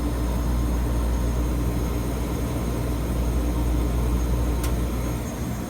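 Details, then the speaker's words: Freezer unit after the original contactor was put back in (nothing wrong with it; customer had tried fixing it himself): steady low compressor hum with even condenser-fan rush, no knocks or rattles; normal running. "got the original contactor put back in there's nothing wrong with it unit's running now you can hear it running"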